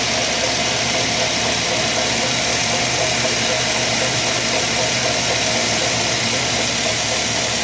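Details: 2003 Mazda 6 1.8 petrol hatchback (no LPG), idling, most noticeable on cold start, after drive belt and idler pulley replacement. Rhythmic rattling rotational noise near the alternator; new Dayco 6PK2255 belt is 5 mm shorter than old 2260 mm belt.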